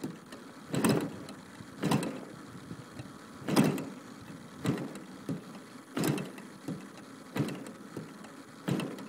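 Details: DLE 55 gas engine, canister exhaust, warm at about 120F: separate bursts roughly every second with no catch; turns over but won't fire, warm no-start, though it runs great once started.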